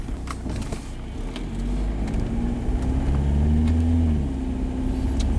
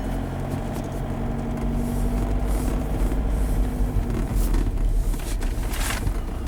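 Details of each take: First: 2005 Jetta 1.9L TDI BEW, JF506E/09A automatic, around -2°C, after replacing sticking transmission solenoids that caused no upshift cold: engine note climbs then drops cleanly on upshift, no flare or slip; normal upshift. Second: 2005 VW Jetta 1.9L TDI BEW, 09A (Jatco JF506E) automatic, cold at about freezing, pulling away from a stop: engine races higher, never dropping revs though second and third commanded; transmission not upshifting, sticky solenoids suspected.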